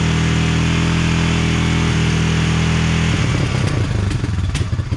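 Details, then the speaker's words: 1999 Honda TRX 300FW ATV after years sitting with bad gas, first run, on choke, air box lid off: single runs steady, then turns uneven and stumbling with lumpy surges, rough idle. "well it runs just not perfect yet I just want to try to clamp this on there maybe maybe it's tuned for the air box lid I really don't know"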